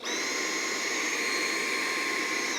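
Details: Dyson cordless stick vacuum with dust bin fitted: steady high whine holding even pitch without surging, winding down at end; normal running.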